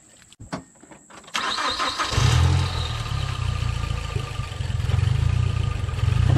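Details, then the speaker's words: 2009 Mazdaspeed 3 after fitting MSD coils made for the Ford Focus ST/RS, with the connector rewired: quick crank, clean catch and a steady, even low idle with no misses; running smooth. "all right sadly smooth exactly what i wanted is exactly what i needed"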